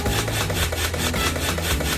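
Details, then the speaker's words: Household water pump jerking: pump hum with rough, rasping pulses a few times a second, short-cycling caused by a faulty check valve. "อันสุดท้ายเลยนะครับปั๊มวัตถุแล้วครับกระตุกแบบนี้นะ"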